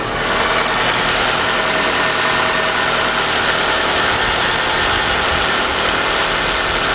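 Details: 1993 Nissan Altima after a new alternator was fitted and is now charging: steady, even idle with a smooth hiss and no knocks, misses or surges. It is left running about five minutes so dye and a black light can locate an oil leak. Normal idle.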